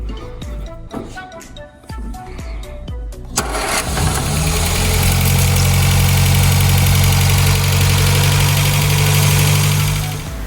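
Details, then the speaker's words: 1960 MG MGA 1600 roadster, long stored in a barn, after fitting a used replacement oil hose: cranks, catches quickly, settles to steady even low idle with no misses or knocks; runs well. "car does run and it sounds pretty good"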